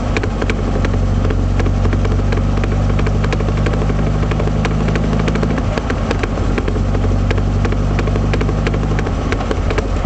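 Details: 1978 Triumph Spitfire while driving: quick steady rear knocking that follows road speed over the low drone, caused by a failed passenger-side axle universal joint.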